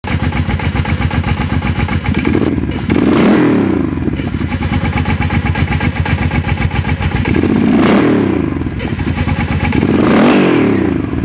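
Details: Engine blipped up and down about every three seconds with a dull clattery knock underneath; clunking noise of unknown origin.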